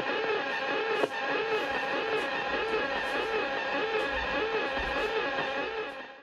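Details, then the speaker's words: Radio receiver tuned around 176 kHz: a warbling, pulsing tone repeats about 100 times a minute over hiss, first thought to be a motor or treadmill. RF interference from a source in the house. "I have never heard anything like that in my life. Is it a motor? I thought it was a treadmill."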